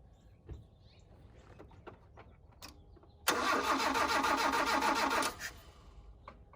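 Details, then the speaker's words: 1983 Mazda B2000 carbureted engine revived, first start after fuel line reconnected: quiet cranking then chugs unevenly about two seconds as the carburetor bowl hadn't filled; fuel starvation, choke pull-off noted. "i suppose i don't let the bowl fill first notice how it's chugging"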